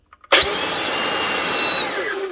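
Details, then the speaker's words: 26-year-old Makita 9402 belt sander with a broken cable, run lifted off the bench: a loud, harsh, rough run with a gritty squealing whine; the bearings are shot and the bronze bushings are dry. "Yeah. She's a bit noisy. Something's making noise. Right. First off, going to need a new cable anyway. That's all broken. Second off, it sounds like there's a bearing gone somewhere."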